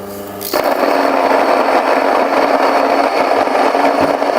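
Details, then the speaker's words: Mockmill 100/200 grain mill, readjusted (moved to ten and back down to one) during calibration: motor kicks into a loud, even grinding roar, steady with no knocks or stalls. Produces coarse grain suitable for grits. Normal milling. "now we get a coarse grain something like we might like for grits"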